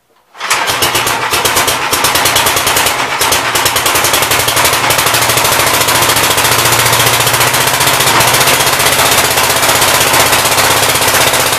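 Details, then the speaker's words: 1959 Gravely LI single-cylinder walk-behind tractor, carb needing adjustment, throttle bumped up: catches within a second and settles into a steady, even putter at fast idle, no misses or knocks, good oil pressure. "if you guys did but yeah it runs and works pretty good it's got awesome oil pressure"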